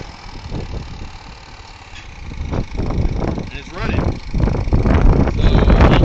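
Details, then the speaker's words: Motorcycle with engine swapped into Vento block, carbureted, airbox not tied down, valves and timing still to adjust: fires, revs in short blips, then steady idle beat; normal idle. "So, I do have to adjust valves. Other than that, the idle's great"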